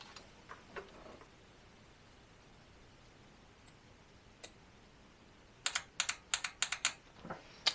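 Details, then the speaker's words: 1976 Jaguar XJ12 V12 replacement engine, injectors briefly hit with 12 volts to free them: crisp single clicks in a quick, uneven burst; this injector clicks and sprays fuel, opening as it should. "so let's see so that one's good it's clicking and I actually heard some fuel spray that one as"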